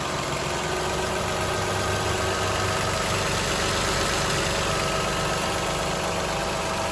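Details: 2007 Toyota Highlander 3MZ-FE V6 at steady idle with a light, fast, uneven rattling knock of about four taps a second; source not pinned down, and the owner wonders about an exhaust leak, unconfirmed.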